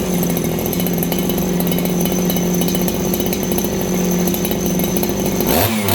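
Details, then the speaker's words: Farmertec 288 kitsaw, 90cc two-stroke chainsaw with aftermarket carb: at full throttle rough and burbling, four-stroking heavily from rich high-speed mixture; owner considers fitting an OEM carb. "Okay, well, you guys heard it there. It's 4-stroking heavily."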